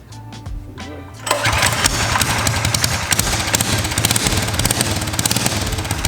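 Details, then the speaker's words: Baja Warrior mini bike build with modified exhaust: catches after a short crank and settles into a fast, crackly single-cylinder beat that holds steady; healthy. "oh yeah this thing sounds real good i'm really excited huh this little machine is gonna be an animal on the road gonna be a beast"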